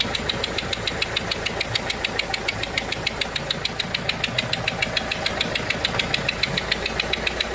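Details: Renault 1.5 dCi diesel idling; sharp even ticking about three times a second over steady idle, compression loss through a leaking seal on one injector.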